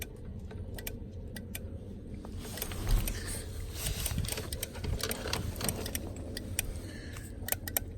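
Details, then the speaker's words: 1991 Ford F-150 I6: sharp quick clicks from the wiper interval module (governor) with key in accessory and wiper switch on, over a low rumble; wipers don't move, module to be opened. "the governor governor's clicking so we're gonna do is clicking this good that means something's working"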